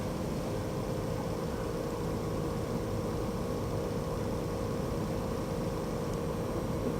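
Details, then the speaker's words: VW Touareg air suspension compressor, newly replaced after the rebuilt old pump ran constantly and set suspension warnings; steady, even mid-pitched hum with no surging or knocking while pumping up quickly; normal compressor operation. "don't want air ride warning lights pumps up like it's supposed to even this works like it's supposed to"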